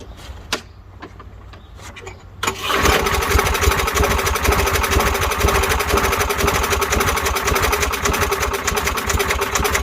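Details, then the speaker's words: Lawnmower that sometimes won't start, fresh gas added: a few quiet clicks, then engine starts and runs with an uneven, ragged beat; rough running, cause not yet found. "she says sometimes it'll start sometimes it won't if it does run it runs really rough"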